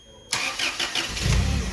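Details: Toyota 7 Series forklift, 4Y engine, starts and dies after seconds: starter whirs, engine catches briefly with lumpy low burble, no steady idle; flat-line ignition signal to ECU.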